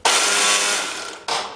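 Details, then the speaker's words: Briggs & Stratton 13.5 overhead-valve engine that won't start: the starter gives a high, thin whir that spins up, fades and briefly returns without engaging or catching the engine; failed starter pinion gear, to be replaced, with other issues possibly present. "a customer said it would start I'll give you a little sound hear what it sounds like when you're trying to start over"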